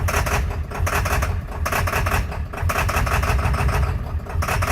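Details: 2003 Ford F350 7.3 Powerstroke diesel, cold start at 65°F after the wait-to-start light: uneven ragged clatter with irregular loud ticks and surging, then smoothing out; hard start and rough running, suspected bad IDM.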